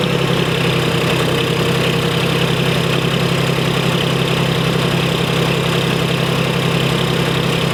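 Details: 1991 Freightliner FLD120 with Series 60 Detroit diesel, unstarted since last July, started with just fresh batteries: steady heavy diesel idle with a slightly uneven, lumpy beat under the clatter; one bad injector keeps it from running clean, run kept short.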